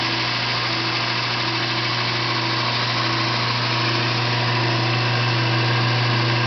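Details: Yard-sale VIEL 1x42 in belt sander/grinder with replacement motor, added switch and new rubber feet: steady electric hum with smooth even belt whir, no rattle or bearing growl; normal running.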